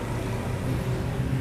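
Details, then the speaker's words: 2400 cc engine at idle with a soft, low, rough croaking rumble, unchanged with AC on or off; often blamed on a stretched fan belt or auto tensioner, but the cause is the water pump. "bunyi seperti bunyi ngorok ya kondisi AC maupun non AC bunyinya kondisi AC maupun non AC ya itu tidak ada perubahan di idle pun bunyinya krok krok kroknya itu halus tidak kencang"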